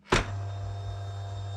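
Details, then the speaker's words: Late-model KTM 250 SX-F dirt bike with starter button not working: in gear, rotating the rear wheel makes the fuel injectors prime with a click then a steady low electric hum, showing battery and electronics are fine; normal fuel injection priming. "click the bike into a gear can be a high gear and then rotate the back wheel and you'll hear the injectors charge if the bike is otherwise good"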